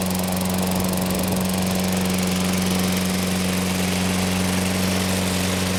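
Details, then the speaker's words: Toro Personal Pace self-propelled mower, 6.5 GTS Tecumseh engine, after a carburetor cleaning, propelling forward: steady, even engine note at constant speed with no misses or surging. Normal running. "better all right so propelled out here oh yeah sounds good personal pace run works well"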